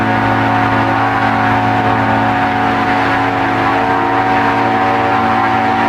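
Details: Aircraft engine just rebuilt with a new cylinder 3 piston and rings gives a loud, steady high-rev drone with a slightly rough edge and will not run at full throttle. Cylinder 3 compresses 110 psi against 120 in the others, and the owner suspects leakage past the reused sleeve.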